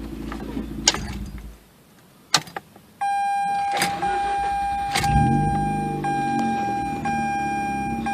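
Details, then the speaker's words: 2004 Mazda RX-8, 105,000 miles, new coils, wires and plugs, days after throttle body adjustments as ECU relearned idle: hot start catches straight away, settles to steady even idle; normal. "she's starting as good as she ever has Isles right where she's supposed to be runs pretty good"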